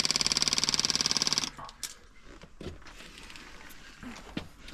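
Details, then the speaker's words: Fuel pump from a budget bike after 3,500 miles, bench-run on a jump battery and fed from the tank: fast buzzing pulses about thirteen a second stop cleanly when the outlet is blocked. Normal pressure-switch cut-off, so the pump is not the fault. "the pressure switch works fine as you can hear as soon as I put my thumb over the end the pump stops release it starts pointing again"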